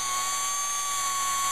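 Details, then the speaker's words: Audi A8 electric fuel pump (from a car at 88,000 miles) bench-run on 12 volts, compared with a 160,000-mile pump: smooth, constant high whine, sounds better than the other pump; normal fuel pump operation. "sounds smoother it sounds better than the other pump"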